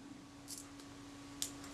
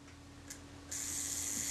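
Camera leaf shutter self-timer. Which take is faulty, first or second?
first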